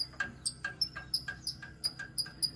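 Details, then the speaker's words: HZ Holden at idle with the headlight bezel removed: a sharp, high chirp repeating five to six times a second. A loose metal tab was rubbing the front bumper bracket, and bending it fixed the noise. "I took the headlight bezel off still makes the noise"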